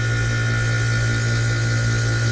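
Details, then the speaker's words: Bryant home AC condenser: steady deep compressor hum with faint tone, fan turning overly slow and struggling; compressor overheats, trips thermal overload and won't restart; suspected failing fan capacitor and motor, fan bearings not seized. "given the fact that that fan is just trundling along like that so i'm gonna wait till this shuts off it's struggling"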